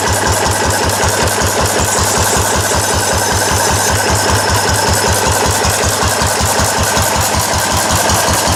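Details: Restored four-horsepower Cushman binder engine with wide flywheel and original paint and tank, test run after restoration, started stone cold; crisp even single-cylinder firing about 158 beats a minute, no knocks or misses, running well.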